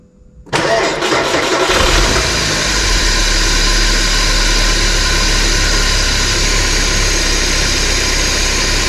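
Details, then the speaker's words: 1993 Porsche 968 3.0 L petrol, right-hand drive, started with belts removed: cranks, catches and settles to a smooth, even idle without the earlier chattering, blamed on the belt catching gear teeth. "well that's definitely a lot quiet huh I'm pretty sure that noise was this belt catching the geers every time it went round"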